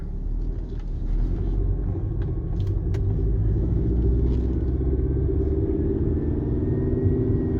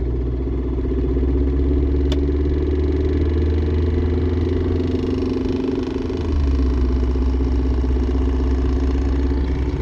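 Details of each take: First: Mercedes C230 test drive at about 20 mph after fixing driveshaft noise (rubber piece hitting heat shields), AC off: only low steady road rumble, no clunk or rubbing; driveline quiet. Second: Mercedes C230 on the road, center bearing replaced months earlier, noise starts suddenly around 20 mph: steady road drone with irregular flutter about three beats a second, felt in the tunnel; later traced to torn driveshaft rubber piece hitting heat shields.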